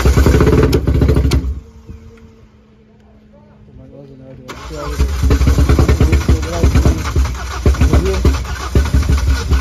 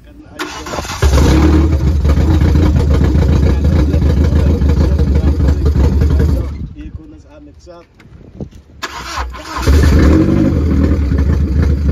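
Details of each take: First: so note this how the car only starts after you've built up enough fuel pressure so what happens is the fuel regulator shows us that the car bolts up it's six it's the necessary six bar pressure and then as soon as you start the car it will idle for a few seconds and then it loses the fuel Second: Car after removing a piece of plastic stuck in a pipe to the fuel float that restricted fuel and kept the regulator from holding the needed 6 bar: cranks, catches, settles into a steady idle, dips briefly, restarts and runs evenly; starting consistently now.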